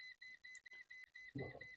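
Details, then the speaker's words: Laptop board SMD capacitor tested on multimeter continuity: high beep cutting in and out, meaning a partially faulty shorted capacitor, or one along that line, needing replacement. "In case I have a capacitor behaving that way away from the main chipset, it means that capacitor is partially faulted. Yes, that capacitor is partially faulty."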